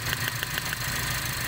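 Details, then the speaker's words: Toyota Vios with low power and misfire: cylinder 3 ignition coil pulled at idle, sharp crisp ticks about seven a second then fading; spark present, coil working. "Rinig yung taguktok. Yan. Yun ay spark."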